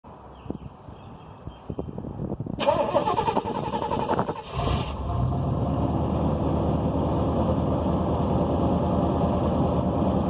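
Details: 1992 Buick Roadmaster Limited, 5.7L LT1 V8, 700R4 4-speed automatic, cold start: cranks, fires and settles into fast cold idle with rough, puffing exhaust ticking from an exhaust leak.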